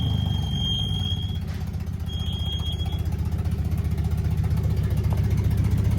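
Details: Neglected Mercedes W123 driven off a trailer, very loud: a thin, steady high squeal comes and goes twice over a low engine drone while rolling; the brakes are said to be bad, squeal suspected from them.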